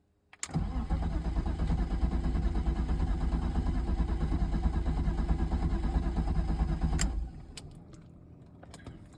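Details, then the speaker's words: 1997 BMW 328i E36, sat seven years, after crank sensor replacement, no fuel pump action, three gallons in tank with fuel sender not working: starter spins about three pulses a second for six seconds, never fires; crank no start. "That's frustrating. Damn it. Well, I'm just finding more crap because still cranking no start."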